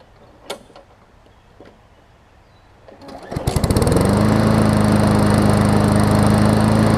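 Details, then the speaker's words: Newer Murray push mower after repairs (oil had leaked into gas, water in oil; new blade, pull rope, oil, air filter, spring and handle fixed): runs really good, steady even constant-pitch run after about 15 minutes running, some old oil still burning off; normal running. "just kidding just kidding runs really good"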